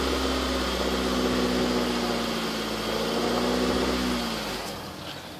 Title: honda civic knocking sound